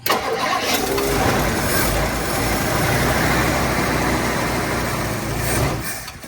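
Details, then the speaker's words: 1959 Ford Fairlane, first start: cranks, lights right off and runs roughly for several seconds, then fades and quits as the carburetor runs dry; engine dies from fuel starvation, needs fuel brought up to it. "Got to get fuel up to it, but look at that, boys and girls. It lit right off."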